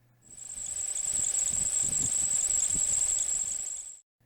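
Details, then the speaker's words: Hyundai Solaris at engine start: a shrill, steady high squeal from the slipping alternator belt, confirmed when spraying silicone on the belt silenced it; fix: replace the belt and the idler roller bearing. "У него при запуске двигателя свистит ремень."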